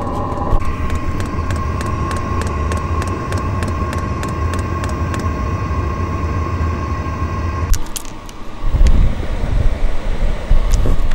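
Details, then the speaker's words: Diesel heater running after new exhaust and fuel filter, lines re-bled with some air possible: steady low drone with constant whine and even fuel-pump tick about twice a second; blowing strong and warm, no white exhaust smoke; normal running. "update it's blowing strong it's blowing warm right now it's not that's hot um and the exhaust isn't blasting um white smoke"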